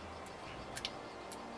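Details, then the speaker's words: Lancia Delta Integrale idle air valve (VAE), which sets idle at 1000 rpm, after cleaning. It gives a few faint, sharp clicks in quick pairs as it tests opening and closing, as heard at startup: normal operation. "D'ailleurs, c'est ce que tu entends quand tu démarres la voiture, ça fait un clac-clac. C'est ce truc-là qui fait clac-clac. En fait, il teste si la vanne elle s'ouvre et elle se ferme."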